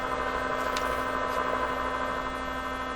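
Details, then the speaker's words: 1957 Chevy Wonderbar car radio at first cautious power-up on a bench supply: steady harsh electrical buzz through the speaker; a vibrator power supply suspected, source not yet traced. "i can hear something buzzing over here tell me that's not tell me that's still a vibrator in there oh my gosh well that sounds like a viper i don't know is that coming out of the speaker oh yeah"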